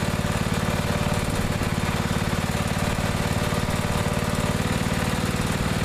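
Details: Neglected riding mower after repair, fresh gas, fuel shutoff, filter and hose clamps redone, started on jumper pack due to weak battery: even, steady single-cylinder thump at fast idle, no misses or knocks; now runs perfectly.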